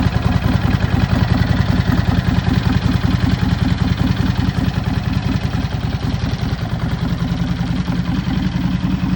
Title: Rattling sound on cold engine - Dyna Low Rider 103HO 2017 #dyna